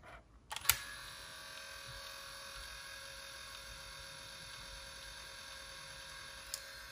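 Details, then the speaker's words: Aiwa HS-J505 cassette walkman that won't play tapes, playing a cassette with headphones connected: the drive motor gives a thin, steady, screaming high-pitched whine with faint clicks, and there is no audio output; cause not yet found. "what it is the motor yeah maybe let's stop them and it is screaming"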